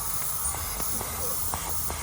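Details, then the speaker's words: Seat Ibiza FR 1.8T, pressure-testing the boost system at only about 13–14 psi: constant sharp airy hiss under steady pressure, engine off, from the push-fit connector joint off the turbo underneath the car; massive boost leak, seal to be checked. "from there i'm only putting about 13 or 14 psi in there and it's a massive leak so i'll get this pipe off i'll look at the seal and then we'll continue"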